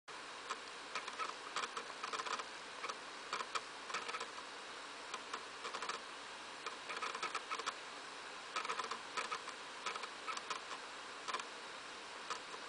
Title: Wii making rattling noise when loading from a game disc